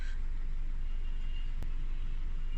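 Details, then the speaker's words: Warmed-up 4-cylinder car at idle before a cylinder drop test: steady, even low rumble with no misses or knocks; smooth warm idle, no cylinder problems. "I'll go ahead to start the car. So I've already warmed this up."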